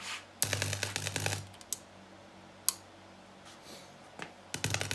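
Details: Homemade linear bench power supply (LM723 regulator, 2N3055 transistors) at about 7.9 V: irregular sharp crackling bursts with low mains buzz from a low-voltage-rated power switch arcing on 220 V mains.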